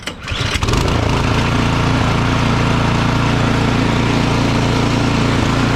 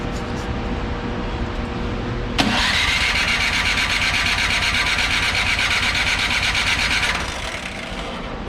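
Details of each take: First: Craftsman 24-inch electric-start snow blower that had sat with gas left in it, after cleaning the clogged carburetor, started without choke: catches within a second and runs steady and even with no stumbling or surging; normal running. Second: Craftsman 24-inch electric-start snowblower that had been sitting. With choke on and primer pumped, the electric starter whirs at a steady, slightly rising pitch for about five seconds and the engine never catches. A clogged, gummy carburetor is suspected, not confirmed.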